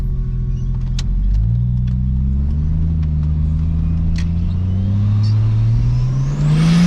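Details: Ford Fairlane with a replacement turbo after the previous one started going bang, automatic gearbox, camera mounted outside the car during a hard pull: engine note climbs smoothly over road noise, no knock or flutter; normal full-throttle pull.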